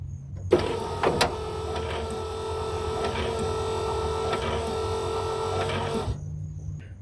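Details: Passenger-side headlight motor on a 1987–92 Pontiac Firebird whirs steadily for about five seconds with faint clicking but the headlight doesn't rise; a spring inside the motor mechanism had popped loose.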